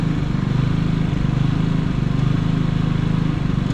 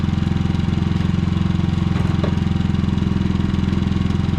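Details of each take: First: Harbor Freight Predator generator with many hours. It began surging after running a week straight and running out of gas. The engine drone rises and falls unevenly about once a second and misses, and gets worse under load. The cause is a misadjusted idle stop screw. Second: Predator generator after fix of surging (reassembled), running in eco mode; even, steady engine beat with no hunting or surging, brief outside chirps near the end: running healthy.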